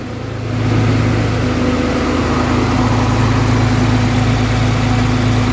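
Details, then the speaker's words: 2013 Cummins diesel truck after head replacement, warming toward 160°F, thermostat not yet open; deep, even idle picks up briefly then settles smooth with no knocks or misses; no leaks; normal idle. "cool no leaks other than me overfilling the coolant by mistake sounds like she runs good running really"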